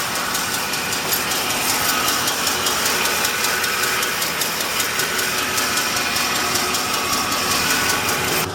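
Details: Ford F150 5.4L 3V Triton V8 before repair: sharp, fairly regular ticking about two or three a second over a rough idle; misfire cured by replacing two or three coil packs and a couple of spark plugs.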